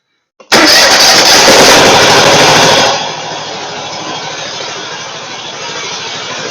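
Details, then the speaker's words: Gravely Pro Turn 160 zero-turn mower with a Kohler ZT740 twin, about 25–26 hp, near idle runs rough and lumpy on one cylinder; left exhaust 240°, right 69°; engine mounting bolts loose. "And uh it it was running good and all a sudden started running poorly. Like it's only running on one cylinder."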